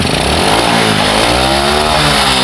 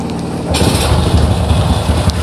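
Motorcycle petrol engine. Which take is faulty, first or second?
first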